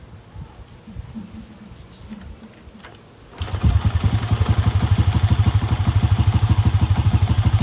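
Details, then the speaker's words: Honda Wave 125 single-cylinder motorcycle started after general cleaning, air cleaner now refitted (carb was noisy without it): starts, then settles into a steady, even thumping idle about three beats a second; engine now quiet and healthy. "So, ayan, tahimik na yung makina niya."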